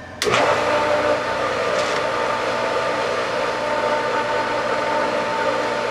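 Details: Pool pump at spring opening, just reassembled with sight glass and cover, switched on: steady motor hum with hollow airy whoosh and no water sound, running dry and not yet primed.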